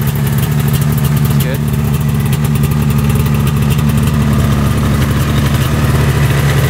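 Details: Arctic Cat Panther 440cc two-stroke snowmobile, bought as no-spark non-runner, idling after fix and test drive: steady even idle with smooth low beat, no knocks, misses or hunting, still smoking; normal idle.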